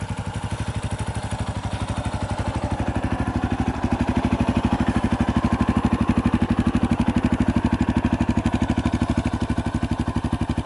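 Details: 2018 Yamaha Tricker XG250 single-cylinder, cam chain tensioner adjustment for abnormal noise: even thump at about three beats a second, steady and clean with no extra ticking; normal settled idle.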